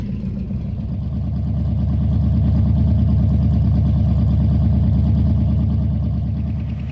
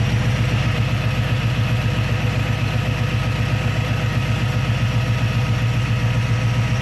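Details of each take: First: Carburetted V8 with newly installed Holley carb, idle after first start: steady idle with regular light tapping about four times a second under the engine note; a bad lifter. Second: Carbureted engine after installing and timing a Holley carburetor: steady, even low rumble at idle with no misses, knocks or hunting; idling smoothly.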